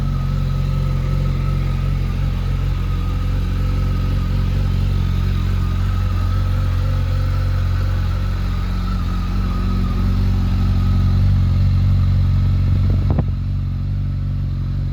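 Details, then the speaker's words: 2005 Honda CBR1100XX Super Blackbird with stock mufflers: smooth, quiet, even engine note with a clean high whistle on revving; the whistle is normal for this bike. "it's got a nice whistle to it which all honda blackbirds should have or the naked version of the blackbird as well"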